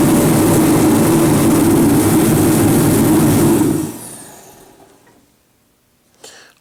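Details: Reddy Heater torpedo heater running after repair and reassembly: a steady, even burner and fan roar for about four seconds, then it dies away cleanly; running properly.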